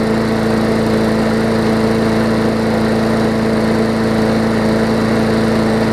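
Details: 2014 Bolens push mower with Briggs OHV engine after fitting correct spark plug and replacing missing carburettor jet ball plug; constant steady buzz at one pitch, no surging, stumbling or rattles; normal smooth running.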